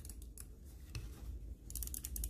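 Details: Cooler Master MM710 mouse after the post-travel and wobble fixes with zip-tie heads: short, sharp clicks in quick bunches with a tight, solid snap and no wobble; normal crisp switches.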